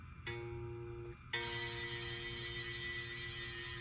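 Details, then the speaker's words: Les Paul bass, flat neck, 13th fret on A string: plucked notes with harsh sizzling back buzz between fretted note and nut, gone when touching string behind the note; nut slot suspected cut too deep. "a horrific Buzz and I noticed if I touch the string behind the fretted note goes away but I looked in some forums and the guys called it back Buzz and apparently this can happen with bases"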